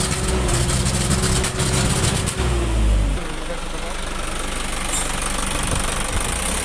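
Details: Isuzu Reward truck with 4HG1 diesel idling roughly, uneven stumbling beat with a surge near the middle; engine misfire, cause not yet found.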